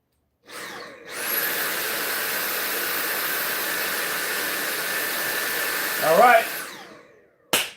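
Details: Vacuum test-run right after a replacement aftermarket battery was fitted, before the screws went in: the motor spins up within a second to a steady high whir, holds evenly for about six seconds, then winds down cleanly. Runs normally; battery fixed.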